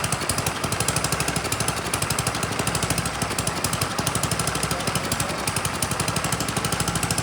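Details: Troy-Bilt Storm 10030 snowblower, Tecumseh HMSK105 engine, long neglected, started with starting fluid: small single-cylinder engine running on its own with a quick, steady, even beat, no misses or stumbling, choke off; normal running.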